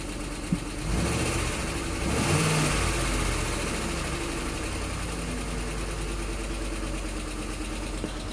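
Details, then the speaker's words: 2007 Ford Explorer Limited, 4.6 Triton V8, just under 130,000 miles: light clicking about four per second under the idle hum; suspected cam phaser, dealer unsure and wants to open the engine. "that's a cam phaser sorry to tell you this that's it's definitely a cam phaser"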